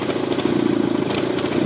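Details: 18hp Briggs engine: uneven, stumbling note with irregular pulses when throttle is punched from a stop, bogging under sudden load; runs fine if nursed gently, breaks up at top end too.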